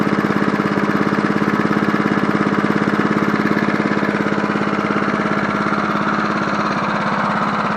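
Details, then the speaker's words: 1980s John Deere NO20K push mower, original Champion spark plug reinstalled, deck tilted up: quick, even firing beat of small single-cylinder with steady note, no misses or knocks; running healthy. "Not bad for an oldie, but but a goodie. Man, that thing sounds good for a 1981."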